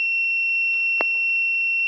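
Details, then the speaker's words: Wireless gas leakage transmitter/receiver with MQ-series gas sensor, detecting fuel vapour; steady high-pitched buzzer tone holding constant with no breaks, gas leak alarm sounding. "so you can see it's sounding because we are taking enough volume of the gas people"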